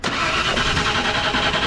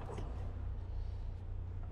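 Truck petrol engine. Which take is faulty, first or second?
first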